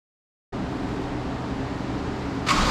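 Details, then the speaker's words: Toyota MK3 Supra, 1JZ single-turbo kit, which came in smoking and running rough; compression test was good. It catches and settles into a steady, even run, then revs sharply near the end. It is up and running and sounds healthy. "Update everybody, Edgar has gotten the Mark III up and running. Keep running. Sounding good."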